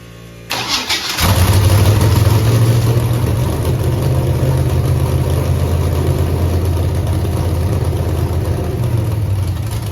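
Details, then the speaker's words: Chevrolet Camaro with Holley EFI-controlled 5.3 LS V8 started after new Napa cam sensor and Holley base tune reset: still lumpy loping idle, dead cylinders moved to driver's side with raw fuel puddling there; misfire persists. "I fired it up with the new cam sensor and uh well the dead cylinders came over here to the driver's side"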